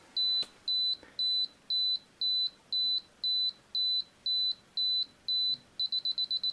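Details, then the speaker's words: Canon AE-1 Program 35mm film SLR with 50mm FD f/1.8 lens, self-timer set by lever: evenly spaced high beeps about twice a second, a rapid burst just before the shutter releases. Normal self-timer countdown. "Okay, so now let's set this for the self timer function with this lever over here. And now here we hear the beeping."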